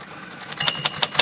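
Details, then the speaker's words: Royal typewriter (possibly a Safari or Custom III) after the lid was flexed upward to stop the typebars tapping it: a handful of crisp, even key strikes with no extra rattle or tap, typing normally. "there's a trick to that and it's called flexing the lid just bend it bend it upward a little bit like that no more touchy"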